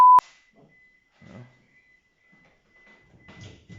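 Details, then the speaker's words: Proton with swapped 4G93 engine and right-hand-drive wiring, first crank attempt: steady high beep drones on and off under cranking noise; warning chime probably from keys left in, suspected ECU at first. "i never heard that noise in our proton that's probably the ecu oh no because we got the keys in it"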